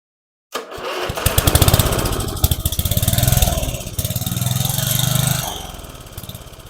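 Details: About 30-year-old family lawn mower, small single-cylinder, temporary fuel tank, running on its own: fires up then hunts up and down roughly every 1.5 seconds, acts like it's starving for fuel; carburetor suspected to need adjusting, not confirmed. Engine surging, running rough.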